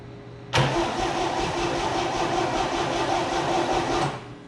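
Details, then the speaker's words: Abandoned 1962 GMC 2-ton truck, 305 V6, coil wire unhooked from distributor to test for spark while cranking; about 3.5 s of steady, even cranking that never fires; crank no start, no spark at coil. "and surprise surprise we're getting nothing so then you go and unhook this again because you don't want to blow that coil up"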